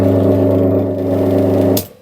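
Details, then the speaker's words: Three-phase motor with six unmarked leads, first trial connection with the remaining leads tied in star and the breaker switched on: heavy, loud, unsteady hum that stops sharply when the power is cut; this first connection set is wrong. "อ่าเสียงมอเตอร์ไม่นิ่งนะครับผมนะครับเสียงดังนะครับก็แปลว่าอ่าชุดที่1ไม่ถูกนะครับชุดที่1ไม่ถูก"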